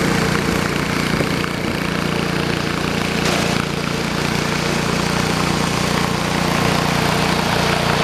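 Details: 1973 112 tractor after new points, coil, condenser and points readjustment: steady even putter at settled idle, about four beats a second, no misses or knocks; normal idle.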